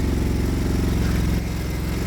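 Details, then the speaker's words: Project quad just started after CDI unit fiddling; carb is out of adjustment so it roars on startup, no smoke. Engine races fast and busy, then pitch drops around halfway as it calms; high idle. "The carb is a little bit messed up. It needs adjusting, so when it does start up it roars a bit,"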